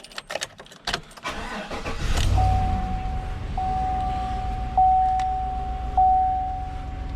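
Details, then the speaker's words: 2016 Chevy Silverado Z71 5.3 V8, 28,000 miles, misfire code and occasional shaking; start after replacing passenger-side spark plugs and wires: starter catches, settles into even low idle under a chime, nothing ragged; injectors suspected if misfire persists. "So let's turn it on. Hopefully the code doesn't come back up. That misfire code."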